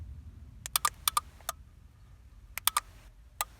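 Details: Aftermarket remote central locking kit being fitted to a 1995 VW Golf, during programming: crisp paired relay clicks answering each button press, showing the receiver is picking up the remote signal.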